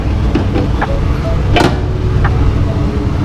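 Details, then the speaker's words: Rubine Sirocco X kitchen hood after repair of noisy blower motor plus service and cleaning: steady low rushing with no scraping or rattling; motor runs smooth and quiet. "guys, tadi kita ada satu kes eh yang motor berbunyi. Kita dah siap repair dengan servis sekali cuci."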